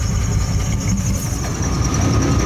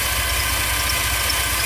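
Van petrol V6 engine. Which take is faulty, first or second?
first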